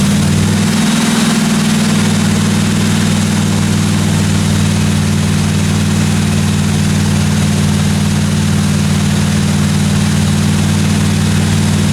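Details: 1957 Chevy 210 project car during its first-run camshaft break-in of about 20 minutes: loud, steady, smooth run with a constant low drone and no top-end ticking or knocking; valve train sounded good, no weird noises, normal.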